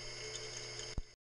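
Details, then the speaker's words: Induction motor on Teco L510 VFD, running on its original bearings before replacement: steady electric hum with a thin high whine on top; worn bearing noise, suspected. "at the end of this there is a a small bit where the has the original bearing in still running in the motor so you can kind of compare between what it sounds like when I finished and what it sounded like when I started"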